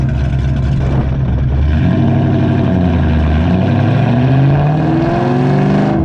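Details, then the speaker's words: Cammed SN95/New Edge Mustang GT V8 after fitting an IAC restrictor plate, GoPro on rear bumper while driving; revs climb and fall smoothly between shifts, dropping straight back without hanging, also in fourth; normal return to idle. "it accomplished the goal the hanging rpm is no longer there and that is why we got it"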